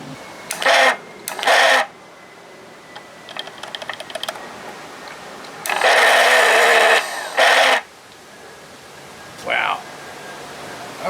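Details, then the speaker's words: 1982 Johnson 25 hp outboard that bogs down despite rebuilt carburetor, new coils and plugs; short labored one-second cranking bursts, starter turning sluggishly though battery voltage is fine; slow cranking. "oh that ain't working throw a little blaster silicone in now they don't sound good"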